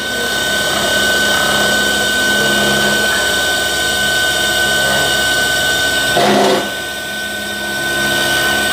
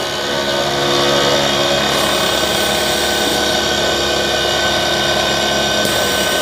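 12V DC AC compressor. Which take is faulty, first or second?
second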